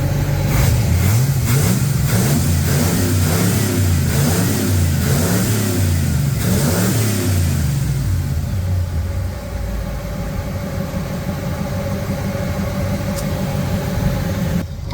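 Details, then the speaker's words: Car after a quick repair including PCV valve work: strong, even revs rise and fall then settle into a steady idle with no misses or knocks; engine sounds healthy. "call that not too shabby uh yeah she sounds good she's running okay"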